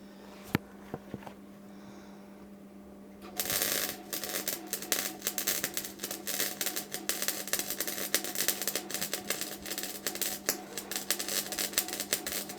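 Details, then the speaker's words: Bike frame repair welding on a sheared bottom bracket: the arc crackle comes in uneven spurts and gaps instead of a steady sizzle because the wire feed is pulsing, making the puddle hard to keep going. "I don't know if you can hear it, the wire feed's awful, it's pulsing. So I'm struggling to keep the puddle going."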